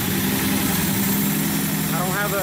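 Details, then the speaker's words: Datsun 280Z with freshly rebuilt engine, first start, running a little rich, no muffler fitted, not yet at operating temperature: a steady idle with a loud, raw, blaring, unmuffled exhaust note. Loud exhaust without muffler. "all right so this is how it sounds without digs on funder actually pretty loud"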